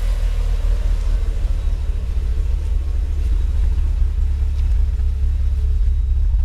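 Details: Mitsubishi Evo IX MR with flashed ECU, rough idle for months: low, uneven, shaky idle that wavers near stalling, between 500-800 rpm and dipping to ~400 after high-rpm let-off; new spark plugs didn't fix it, no vacuum leaks found, runs fine otherwise.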